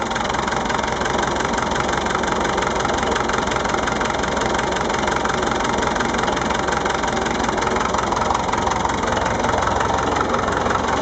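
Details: Massey Ferguson MF-825 diesel idling: uneven knocking clatter about three to four per second over a steady low rumble; engine noise, cause unclear.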